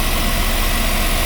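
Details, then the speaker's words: Westerbeke marine generator on a Boston Whaler, which slowly overheats after 45+ minutes, just started after fuel priming, impeller good, capacitors replaced: steady even diesel drone, no knocks or misses; running smoothly. "Alright, now we're back on. Let's do that now the right way. Sounds good."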